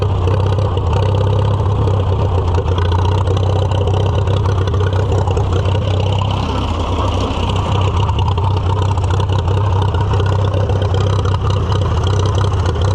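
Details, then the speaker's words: Restored Farmall F-12 tractor on steel wheels, auction find being revived: engine chugs at a low, uneven beat that never settles; runs worse with the air piece fitted; owner suspects an air cleaner restriction and a carburetor needing rebuild. "It is entirely possible that uh there's a restriction in the air cleaner that probably needs cleaned out. I don't know. It's been a long time. Also, the carburetor probably can use rebuilt."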